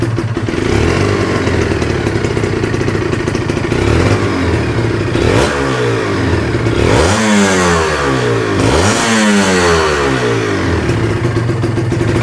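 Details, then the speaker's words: Kawasaki Ninja two-stroke after compression/carbon work, stock exhaust, weak battery: crisp buzz at idle, then clean rising and falling revs, no knocking or rattle; sounds healthy and smooth. Normal running and revving. "sama kayak motor Ninja gua kayak gini suaranya Waduh terdengarnya m e masih adem ya guys ya terdengarnya"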